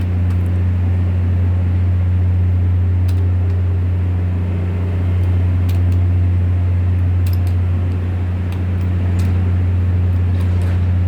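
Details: Volvo TWD1463 GE diesel generator: loud steady drone with a faintly uneven low pulse about four beats a second; misfire.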